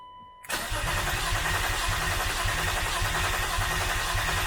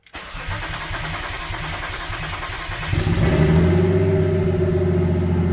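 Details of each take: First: Turbo BMW E36 after blow-thru MAF wiring, base tune on stock ECU and recent fuel pump change: starter chugs steadily about three and a half beats a second with no firing; cranks but won't start, owner suspects fuel issue. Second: Turbo BMW E36 build, after the fuel pump was got working and before the blow-thru MAF and base tune are installed: starter churns about three seconds, then a clean catch and a strong even idle. Normal start.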